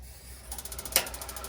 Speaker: All right, so I'm gonna turn the water on, and once it detects there's water, then it's gonna try to light. I don't have the propane hooked up. I just wanna make sure that part's working. You'll probably hear it ticking.